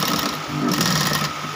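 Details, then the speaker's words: Model 8500B sewing machine after resetting slipped timing, which had made it noisy: fast even whirring with light regular clatter, no knocking or grinding; running smoothly and normally. "मेरा इसका timing मिल गया तो बहुत धन्यवाद आप देख रहे हैं ना कैसे भाग रहा है"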